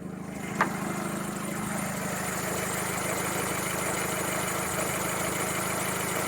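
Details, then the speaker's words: Used car bought at auction, warm idle with no engine lights: a faint dry, papery rattle over a steady idle; first thought auxiliary, owner suspects a bad or dried-out cam belt tensioner, to be checked. "A little bit of a dry noise there, so we'll get that checked out."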